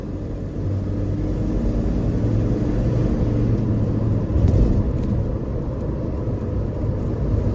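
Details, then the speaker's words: 1969 Ford F250 with automatic transmission, cruising: it shifts into second with a steady low rumble and no metallic clack under load. It clacked the day before; backing off the ignition timing cured it. "it doesn't have a kick down on it like I don't think it does anyway let's see boom there's second gear right there"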